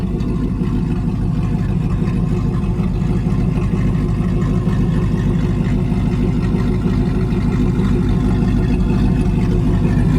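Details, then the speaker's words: Supercharged Hemi V8 in a Mega Cab truck idling, not in boost. A deep, uneven cammed lope of about two beats a second over a steady rumble, with the supercharger chop. Normal cammed idle. "Hear the supercharger chop with it. It's just the most beautiful combination."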